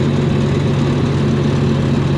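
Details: 292 Chevy inline six gasoline engine on a 703 UniSystem power unit, straight pipe with no muffler, after distributor timing was corrected: loud, even low rumble with a steady beat and no misses; idling cleanly.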